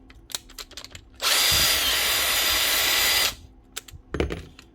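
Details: Cordless power tool after replacing completely worn-out brushes and the tool holder: steady, even high-pitched motor whir for about two seconds, clean start and stop, no grinding or stutter; running healthy.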